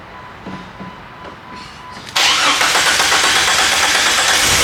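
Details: 1998 Jeep Wrangler 4.0L inline-six that sputtered and died at a stoplight; a couple of faint cranking attempts, then it catches with a sudden loud rough run.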